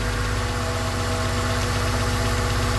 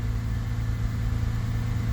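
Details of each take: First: 2000 Honda Accord with flashing check engine light, running while coils are unplugged one at a time: idle stumbles with uneven lumpy beat, about four pulses a second; unplugging this coil drops the cylinder, so it was firing. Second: 2000 Honda Accord after throttle body work: starts, rises to about 2500 rpm, then settles into a low, steady, even four-cylinder idle with no skips; no misfires.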